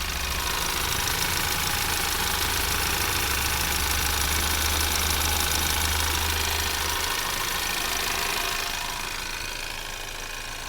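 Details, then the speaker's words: 2024 Ford Maverick XL AWD 2.0L EcoBoost at slower idle with microphone near the belt pulleys: steady fast ticking over an even hum; normal running sounds. "so the engine is going at a little bit slower speed now slower idle and this is what it sounds like near the pole and so forth near the"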